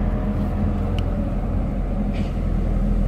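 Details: Toyota Hilux diesel, original engine at 409,000 km, after full service, running: even, steady rumble with no knocks or misses, outside noise around it; normal running despite high mileage.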